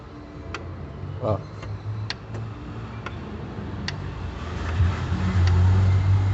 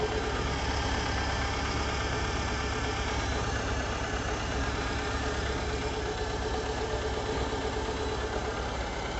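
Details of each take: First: VW Fox (2007) 1.6, also seen in Gol/Voyage, with cylinder head removed: sharp dry ticks about twice a second over a low hum rising with revs, sounding like valve noise; excessive piston-to-bore clearance, piston slap, pins likely worn too. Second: VW 1.6 (Fox/Gol/Voyage) after new pistons for a valve-tapping-like noise; steady, even idle hum with no tapping or knocking — normal idle after repair.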